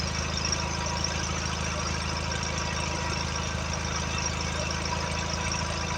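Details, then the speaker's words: Allis Chalmers 716 hydrostat garden tractor's Kohler twin 17 engine, restarted with clean oil after blowing a geyser out the vent: steady fast regular firing at idle, no misses or knocks while burning off oil-fuel mix; runs cleanly. "burning all that oil fuel mix out of these dogs yeah she's running good"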